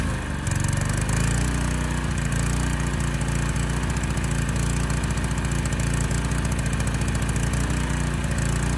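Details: Honda EG1400x generator under load: steady drone, slightly slow and heavy, settling a little faster; running rich and underspeed.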